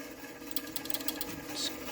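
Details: Playmatic Harem pinball machine, first power-on, credit added: rapid sharp mechanical clicks, several per second, getting faster and louder without stopping; credit mechanism cycling without registering, credit unit suspected.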